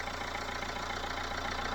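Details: Dacia Logan after head gasket job (new head gasket and bolts, head skimmed, new water pump, cam belt, tensioner, thermostat, fresh coolant), first start: smooth, even idle with steady low hum, no ticks or knocks; runs like a sewing machine, healthy.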